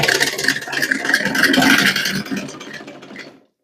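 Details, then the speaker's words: Old sewing machine run empty with no thread: loud, fast clatter from loose, dry linkages rattling on every stroke; it also won't stitch or feed the cloth. "पहले दोस्तों देखिए मैं इसको खाली चलाता हूं तो कितना शोर ये मशीन करती है।"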